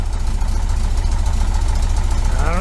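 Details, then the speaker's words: 1973 VW Super Beetle 1745cc with dual Dellorto FRD 34 single-barrel carbs, testing a newly installed balance tube: uneven, lumpy idle that keeps shaking; the balance tube did not fix the poor idle. "see if I can get a little bit of a shaker taken care of knocked away all right so I hadn't cranked still shaking"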